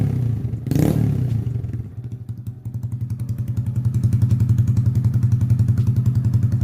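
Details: Honda Grom idling after fuel pump priming: a thud, then a smooth, regular putt about three and a half beats per second; normal healthy idle.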